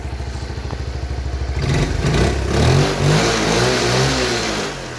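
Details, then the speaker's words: 1978 Honda Cub 70cc, original engine, after kick start: small single putters evenly at idle then picks up cleanly and holds revs with no rattles or misses, no cam or rocker noise; strong, healthy engine. "Máy rất là mạnh."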